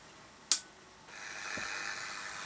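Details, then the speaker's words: ZX623 Chinese AM/SW radio kit, just completed with the ferrite rod winding wire repaired, switched on before alignment, thought to be on the AM band. A sharp click, then steady static hiss with no station. Fluorescent lights nearby are suspected as the noise source, not confirmed. "That sounds like noise. it does. We've got fluorescent lights and things here and all over the place."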